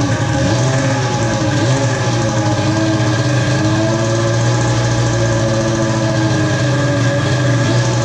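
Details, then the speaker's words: Polaris Pro X2 700 two-stroke that has been troubleshot for not running, with oil put down the cylinder, now starts and idles steadily but with a lumpy, uneven rough note and no knocking, apparently running on old, bad fuel. "well it sounds like it's got some gnarly fuel in it"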